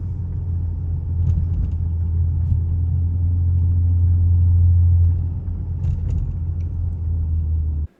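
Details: Lincoln MKZ Hybrid going downhill with Grade Assist engaged, engine acting as an air compressor for braking: a steady low rumble that swells and eases, with no firing bark. Normal engine braking.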